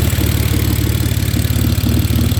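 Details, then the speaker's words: BMW E46 drift car at idle with an uneven, lumpy pulse and irregular dips in the beat: a misfire, possibly a bad injector or wiring. The owner also suspects a coolant leak and overheating, and water was just added. "Can definitely hear that midfire now."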